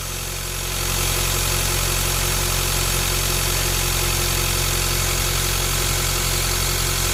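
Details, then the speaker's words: Ford Ranger T6 diesel after replacement with a modified, high-speed-balanced turbo (new centre housing, shaft, billet compressor wheel): steady, even idle with no howl. The turbo whine has disappeared. "โน้ทโทรหาตอนนี้ถ้าโบว์ไม่มีเสียงหอนแล้วนะครับเสียงหอนหายไปแล้วอ่ะ"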